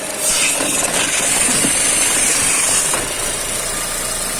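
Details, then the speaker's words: Chevrolet Cruze at idle, belts ruled out: thin steady high whistle returns when the EGR valve line is refitted to the throttle body port and stops when blocked or removed; faulty EGR valve. "И все, и свист у нас опять пошел. Слышите? То есть, скорее всего, проблема все-таки вот здесь. В этом клапане самом."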